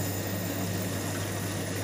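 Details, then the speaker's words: Ice machine reassembled after cleaning and servicing, run in wash cycle: steady low hum with water sloshing and flowing, no rattles or grinding; the pump is turning with no noises, running normally. "so I'm going to click this into the wash cycle which on this model it's down if I have a look my pump is turning no noises that's looking good"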